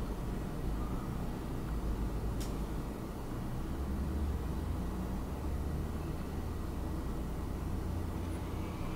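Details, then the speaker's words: Wacom Cintiq Companion 2 running OS X under a Cinebench load test: steady loud rushing whoosh with a faint thin whistle, holding constant; cooling fan at full speed under load, dropping back afterward. "now it's kicked up to high gear so you can probably hear it pretty loud but then after the test immediately it goes back down to about the second fan level I'd say"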